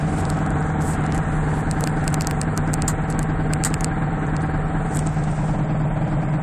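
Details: Toyota Celica ST202 strange noise from the rear wheel: steady low drone with irregular light ticks and knocks from the rear wheel; owner suspects a wheel bearing, not confirmed.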